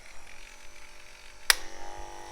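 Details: Wahl KM10 cordless dog clipper after replacing blade drive and tightening loose blade hinge screws: click, then steady even motor buzz with no rattle or chatter; clipper now running normally.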